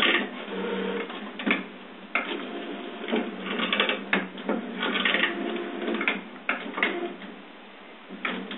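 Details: HP printer: irregular bursts of clacking and whirring from the paper feed and carriage, louder than normal; cause not evident.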